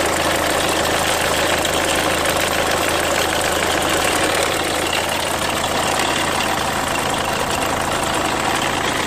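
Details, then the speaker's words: 2003 Renault Megane 2 1.5 dCi diesel idling: quick, light bird-like chirp over the usual clatter; owner suspects the timing belt needs redoing, source unconfirmed. "Voilà, c'est un bruit d'oiseau. Si vous avez des solutions, merci beaucoup."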